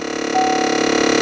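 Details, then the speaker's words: GM vehicle (Chevrolet Equinox family) HVAC, noise heard inside under the pedals when switching between cold and hot air: rapid even ratcheting clicks over steady fan hum; suspected blend door actuator with damaged internal gear or broken door, not confirmed. "está como queriendo abrir o cerrar la compuerta y en muchas ocasiones usted va a ver por decir ahorita yo lo cambio a aire frío y se escucha"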